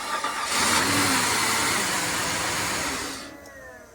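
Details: Flood-damaged 2004 Cadillac DTS convertible after repairs. It catches and runs briefly, then dies within about three seconds. A security system issue cutting the injectors after a few seconds is suspected, not confirmed.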